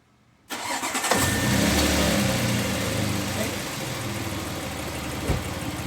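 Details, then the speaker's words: 2017 Audi Q7 3.0 with code P0304 cylinder 4 misfire: engine starts and settles into a lumpy, shaking uneven idle with a warning light on; misfire on one cylinder. "prendí el carro y en verdad la maquinita s tiembla se siente le pongo la mano y se siente como tiembla la maquinita"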